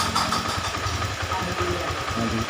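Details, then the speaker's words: Honda Beat FI scooter with rough starting, weak low-end throttle and charging complaint, idle measured at about 0.1 V AC; idle wavers and hunts instead of holding steady, pulses uneven, irregular idle, cause not confirmed. "Oke, ini stasionernya kayaknya, nah, kayaknya nggak beraturan ya stasionernya ya. Kita besarkan dikit."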